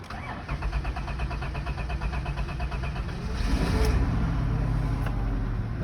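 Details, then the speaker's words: 1997 Dodge Caravan first start after new fuel pump and rewiring: starter churns steadily about three seconds before the engine catches into a rough idle; owner thinks fuel hadn't refilled the drained lines yet. "I think it just took a while cuz the fuel wasn't in the lines yet CU it all you know drained out"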